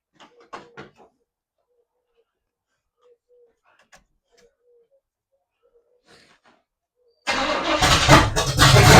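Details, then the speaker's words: 1982 Chevy pickup, carburetor primed, fuel line into a bottle: quiet, then steady two-second cranking with no catch; no fuel delivery. "Nothing yet. Well, after several times trying to get it to pull fuel and then you figure out the tank didn't get hooked up and the tank valve underneath wasn't hooked up."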